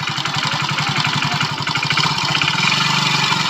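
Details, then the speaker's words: BS6 motorcycle at idle: dry metallic jhar-jhar chatter over every firing beat from a worn slack timing chain; fix is to replace the complete timing chain kit; timing chain rattle. "Finally इस तरीके से अगर कभी भी आवाज आए तो आपको काम क्या करना है इसकी जो टाइमिंग चैन होता है उसे चेंज करना है"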